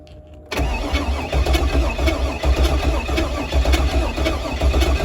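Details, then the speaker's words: Pontiac G8 build cranking. The starter churns about once a second with sharp backfire cracks but never catches. This shows fuel and spark are present. "oh baby we shooting flames baby we are shooting flames i think that's the wire we're gonna use"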